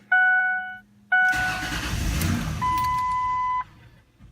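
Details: 2004 Ford Explorer 4.0L V6 with a PATS theft light problem, starting on a second key after two keys were programmed: dash chimes, then a brief crank and the engine catches cleanly and settles; normal start with the key authenticated.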